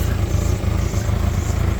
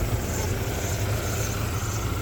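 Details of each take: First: 1994 Ford Ranger 2.3L four-cylinder, after a new starter and a replaced hose, idles low with an uneven, lumpy pulse and slight stumbles; much better than before but still rough underneath, owner suspects an exhaust leak. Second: 1994 Ford Ranger 2.3L four-cylinder after hose and starter replacement, steady low idle heard from above the engine with no misses or knocks; still a little rough underneath, owner suspects an exhaust leak, far better than before.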